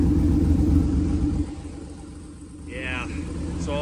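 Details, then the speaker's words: 1937 Nash coupe, 6.0 Vortec V8 with 58 lb/hr injectors, after fixing the dead side that had been blowing raw fuel: deep, even idle rumble through Flowmaster-type mufflers, no stumble, exhaust smells normal. Normal idle. "well it's running and it definitely does not smell like uh fuel anymore still has a rumbling sound that's the kzam muffers or flow Masters"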